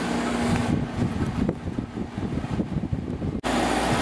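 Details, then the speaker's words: Samsung 6,300 BTU air conditioner with a Samsung compressor, after 10–15 minutes in cool mode on low at 4.4 A, blowing cold. Steady low hum over fan rush with no rattles or knocking; the compressor runs normally. "Alright, it's been running probably for about 10-15 minutes now. It's blowing nice and cold."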